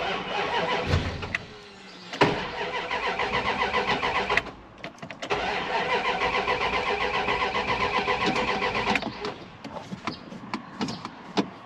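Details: Dodge Ram 1500 project truck cranks with starter churning in steady bursts, about three to four turns a second, pauses between tries, never catches; owner suspects lack of fuel, battery being sorted.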